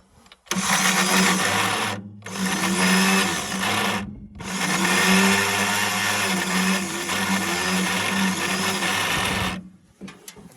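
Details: Engine that sat about 15 years, not cranking from the starter button or when jumped with an extension: three bursts of steady electric whirring with a loud clatter on top and no cranking rhythm; starter spins freely. Owner suspects seized engine or bad starter, unconfirmed.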